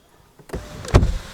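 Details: Mahindra XUV500 W9 automatic (2020), after its 2nd service: sunroof opening with a brief smooth motor whirr and soft clunk, no rattle, buzz or vibration; sunroof works normally.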